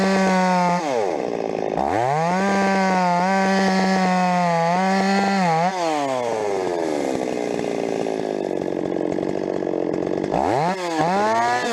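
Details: Stihl 026 chainsaw, rebuilt from a well-scavenged parts saw with aftermarket parts, freshly sharpened chain: screams up, sags into the cut and recovers, uneven popping crackle at peak revs under load; owner suspects spark plug too hot.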